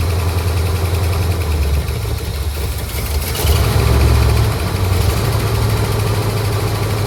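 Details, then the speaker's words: 1967 Ford Galaxie 500 V8 sitting since 2008, first run after revival: slightly uneven, lumpy idle that swells briefly; rough idle attributed to sitting so long, cause unconfirmed; it otherwise ran fairly well and the fuel pump works. "well folks she ran uh wind idle that's to be expected after sitting as long as it has uh it ran actually fairly good"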